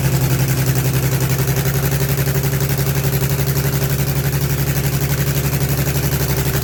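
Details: Allis Chalmers HD20 crawler idling, GM 6-110 two-stroke diesel, after 15 years sitting, blower rebuilt, full-flow filters, worn exhaust manifold/muffler: deep rapid drone holding a steady beat without stumbles; runs evenly, no oil blowing.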